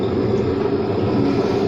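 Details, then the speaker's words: Hotpoint WM74 washing machine dated February 2000, drum turning at gentle speed: a steady rumble with a wavering mid-pitched drone as the worn drum bearings creak. The owner thinks the motor may also need work. "let's have a listen on a gentle gentle speed the bearings creak a bit"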